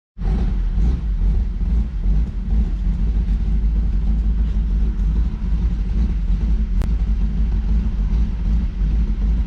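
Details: 1992 Lexus SC400, stock 1UZ-FE V8, 117,900 miles, stock exhaust, at idle: deep, uneven, loping rumble like an aggressive cam; owner attributes it to a vacuum leak.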